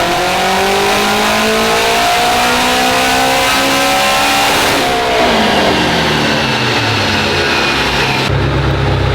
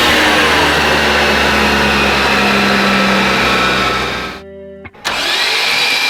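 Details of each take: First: Honda on dyno, pull on wastegate pressure (28 psi), making 693 wheel horsepower and out of injector: strong, clean wide-open pull, pitch climbing smoothly through revs, steady note after shift; engine sounds healthy. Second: Built Honda on a dyno pull after 693 whp, out of injector: the engine screams at high revs, then the note collapses and cuts out abruptly; the timing drive lets go, the crank moves and compression is lost.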